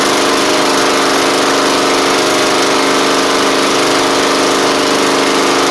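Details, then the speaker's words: Troy-Bilt Pony mower with swapped-in Briggs & Stratton flathead (replacing Powermore; new Briggs carburetor, 12.5hp air filter), final test with hood back on and fresh oil: steady, even drone holding one speed, no misses, knocks or surging; normal running. "oh w oh that's good that's really good actually"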